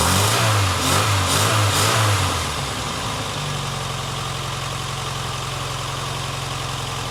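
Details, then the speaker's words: Barn-find Austin Maestro carburettor engine, not yet warmed up, with the mixture adjusted and idle speed raised. Uneven blips settle to a slightly lumpy idle. It is running rough and the choke, idle speed and fuel mixture still need adjusting. "so what I may have to do now is I guess get it running and get it kind of warmed up and idling nicely and stick the older choke all the way in and just play with the screw uh the idols through and the fuel mixture I guess"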